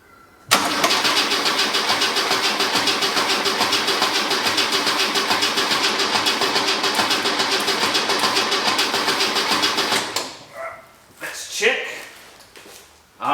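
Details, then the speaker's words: VK Commodore, factory carbureted black top 202, cleaned rusty tank, fuel lines hooked up, first start attempt, battery seems low on voltage: starter cranks steadily for ten seconds without catching; no fuel reaching the filters or carburettor yet. "we leaking? Do we have fuel yet? No. Nothing yet. That's okay. That's okay."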